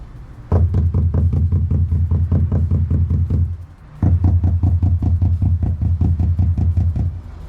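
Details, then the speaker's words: Knock test on a 2018 VW Crafter MWB van panel fitted with Dynamat butyl sound deadening: rapid hand knocks sound dull, deeper and much less tinny than the bare opposite panel, so the deadening damps it. "see quite a lot less tinny, a bit deeper sound. So it does show that the sound deadening does do something."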